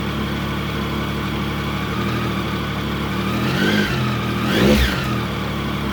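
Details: Triumph Sprint GT 1050 at its first start after fresh oil, oil filter, air filter and a new GRmoto exhaust. Steady, even idle with one short rev lift before settling back; it runs smooth and healthy.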